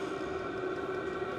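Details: SILVEL 8 kW 12 V all-in-one diesel air heater with 5 L tank running: steady, even fan rush with a constant mid hum and no knocks or rattles; blower running normally.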